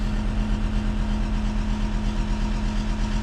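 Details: Diesel at idle during mechanical injection pump timing adjustment (ECU correction for temperature, boost pressure, rpm): steady idle with a hard, rattly knock on every firing, about three per second. Mechanics judge timing still too far advanced; unconfirmed.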